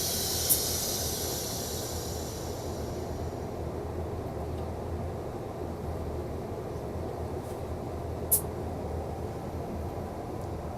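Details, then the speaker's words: Wafer bonder vacuum chamber, nitrogen cooling valve open and exhaust valve venting: steady hiss of gas over a low even hum, easing after a few seconds; normal nitrogen exhaust flow. "so here we can hear the exhaust coming out of the exhaust valve"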